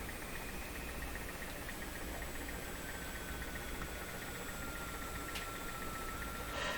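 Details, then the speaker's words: Jewel Model 505 vacuum-tube clock radio during alignment with a signal generator: a thin whistle drifts slowly downward in pitch over steady hiss. This is a spurious oscillation, suspected to be at 455 kHz. "Oh, could hear an oscillation start up there, I think. Sounds like another one."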